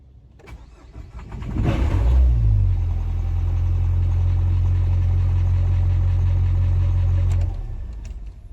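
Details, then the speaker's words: Low-mileage Nissan Juke bought at auction with a flat battery: engine cranks, catches and settles into a low, uneven lumpy idle pulsing about four times per second; runs rough, cause unknown. "she doesn't sound too good there boy she doesn't sound too good there i'm not sure about this one guys"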